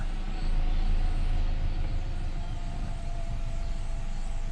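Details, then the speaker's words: 2014 Nissan Altima 2.5 SL (QR25DE), after a P0014 repair involving the cam solenoid and O-ring, codes cleared and oil checked: a steady, even low rumble at idle with no misses, knocks or ticks. Normal idle. "Idle looks to be okay. Alright, so our idle looks to be alright."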